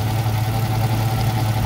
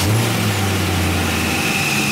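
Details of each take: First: 1977 Camaro Z28 first start, near 200 degrees with thermostat not opening: steady idle with coarse low droning groan; power steering pump pumped out its fluid and ran dry, refilled but noisy, possibly ruined. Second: 1977 Camaro Z28 first-ever start, 45 psi, about 130 degrees: steady even idle with faint constant high note; earlier high-pitched whine went away, owner hopes it wasn't top end lacking oil.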